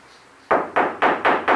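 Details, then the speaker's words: Fiat 147 under restoration, knocking on the roof sheet metal with sound-deadening plates resting on it: five dull knocks, about four a second, die away quickly without ringing, so the roof panel is well damped. "El sonido que hace es, en cambio, el techo, por ejemplo, escuchen cómo suena. Y si yo coloco estas planchas arriba, simplemente apoyándolas aquí arriba, ¿cómo cambia el sonido?"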